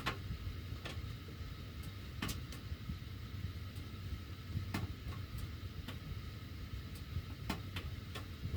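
Sharp irregular ticks and pops every second or so over a low steady furnace rumble; ductwork ticking as it heats, cause unclear.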